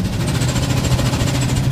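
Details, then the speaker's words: 1999 or 2000 Honda CR-V, 192,000 miles, check engine light on, lack of power, idling: quick light ticking and faint hiss from the exhaust. Exhaust leak past gaskets caused by a clogged catalytic converter. "it what it is is it's a catalytic inverter that's clogged and uh so I just wanted to kind of share that with you and when the Catal vers clogged it uh you can hear it it's the exhaust is escaping past the gaskets or or uh exhaust leaks somewhere in the system"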